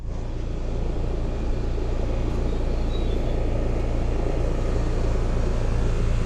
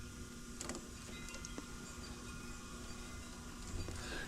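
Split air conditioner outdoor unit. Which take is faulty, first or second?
second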